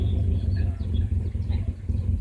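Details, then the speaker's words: 1999 Subaru Legacy B4 misfiring badly: in neutral, idle drops toward zero, a deep lumpy idle that sags and wavers, almost stalling; fuel trims were being watched and a fuel-related issue is suspected. "it's gone down to zero knocked away and you can see when go down to zero the vehicle is almost tampering almost stalling"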